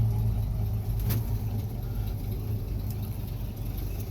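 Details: 1965 Ford F100 V8 after choke adjustment: soft, even low rumble at steady idle with no misses, knocks or ticks; warming up, choke fully open, running smoothly.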